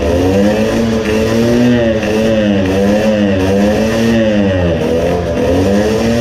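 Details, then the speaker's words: Two-stroke moped engine (about 20 hp), carburetor being modified; good on part throttle, but at full throttle it screams with a hollow, wavering pitch and doesn't pull cleanly; lean running at full throttle. "now it is again lean. but on part throttle it was good. I noticed that you can lure it to rev by part throttle and after that you can give full throttle it will scream but it has a hollow sound."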